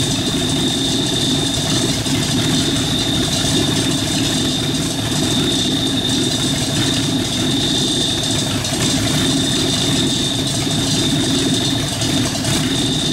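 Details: Rat rod truck idling with a York AC compressor converted to a belt-driven air pump for an air-bag suspension, building tank pressure, switch set near 100 psi; steady even idle with faint constant high whistle, no knocks or misses, normal.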